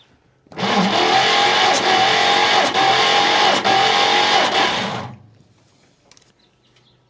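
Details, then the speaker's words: Long-stored 1959 Plymouth Fury, sitting 38 years, cranking during compression testing; steady starter whine with slow uneven surge about once a second, turns over nicely but never catches; poor connection on the tester, compression about 45–50. "Problem is this connection right here. See motor rolls over nice."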